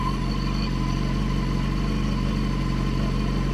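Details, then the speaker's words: BMW HP4 with factory Akrapovic exhaust: idling at about 89 dB on a decibel meter, a deep, even burble with a steady low throb and no knocks or misses; healthy. "the Akrapovic on the HP4 reads around 89 decibels at idling, and we'll keep an eye here."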